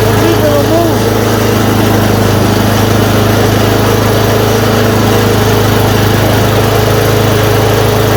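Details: Yard Machine 826 snowblower, 8 hp 26 in, after new dual belt, first start once idle screw adjusted: small engine holds steady even buzz, revs up, no surging or hunting; runs healthy.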